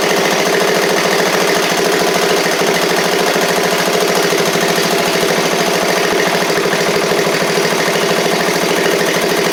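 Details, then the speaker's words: 7-year-old MTD Murray riding mower after starter solenoid and valve repairs, oil slightly low: steady, even single-cylinder thump with no misses, knocks or surging; runs well, though owner later suspects some water in it. "make sure it moves forward and backwards here that's nice man that thing runs like a top"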